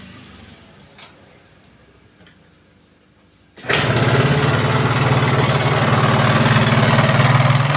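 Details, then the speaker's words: Yamaha Mio carburetor scooter with a complaint of excessively rough engine sound. It fires up and settles into a loud, coarse, even drone with a harsh rattly edge. The mechanic says the roughness could come from the front, middle or rear of the engine, cause undetermined. "jadi motor yang suaranya kasar berlebihan pada mesin itu bisa terjadi di banyak bagian ya bang"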